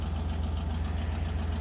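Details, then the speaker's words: Orange Suburban, idling after the exhaust manifold was refitted on a third attempt (the old curved gaskets weren't sealing): fast, regular puffing tick on each firing pulse over a low rumble; manifold still leaks. "we'll see still leaks"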